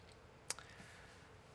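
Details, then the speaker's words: A single sharp click in a quiet room as a 3D-printed right-angle enclosure for a UM016 microscope is pressed. Thin printed edges flex and scrape past each other; one possible fix is to widen the gap. Parts scraping click. "I can press right there and make it click but you can see what happens maybe if you're looking closely that this edge right there and this edge right there are scraping past each other"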